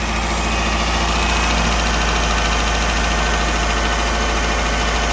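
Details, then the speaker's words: 2009 Dodge Journey after spark plug and coil replacement, first fire-up with a little oil added to the cylinders: even steady idle with a smooth low hum, no knocks or misses; normal idle. "That first initial fire up. So, not looking too bad here."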